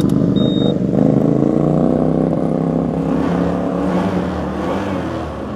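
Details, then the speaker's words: 2021 Honda ADV 150 scooter, fully standard, 11,000 km: engine revs up and settles smoothly with quick throttle response and an even note throughout; normal revving. "Okay guys, so bunyi memang smooth lagi, and then fast respon lah."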